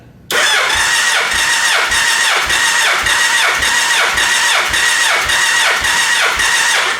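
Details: Gen 1 Suzuki Hayabusa with an ignition miss, cranking compression test on cylinder 2, reading 175 psi (cylinder 1 read 173). Steady starter cranking with even compression pulses about twice a second; healthy compression.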